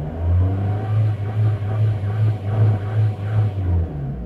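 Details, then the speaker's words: 2005 Vauxhall Astra 1.7 CDTI diesel (Z17DTL), revved stationary with no warning lights or codes: sluggish throttle response, then it hangs and surges around 3,000 rpm like a misfire, with smoke; the air flow meter is suspected. "now when I press the throttle a little bit more we're gonna see is when it gets to about 3,000 rpms the car kind of holds is revs and it's not really misfire but it looks like misfire"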